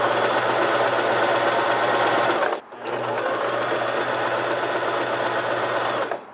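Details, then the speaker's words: Sewing machine running with no thread, presser lever raised and lowered: steady, even whir with fast needle clatter, a brief stop, then smooth running again with no knocks or grinding; normal running. "You're gonna have sounds when you're sewing, and a lot of people get additional stress when listening to the sound of the machine."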